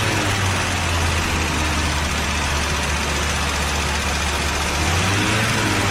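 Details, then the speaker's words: 1982 Buick Regal, engine running for the first time in over 25 years: a steady, even deep idle rumble with no knocks or misses; the smoke comes from oil spilled on the manifolds. Normal idle. "all right folks I can't believe it ran that's insane"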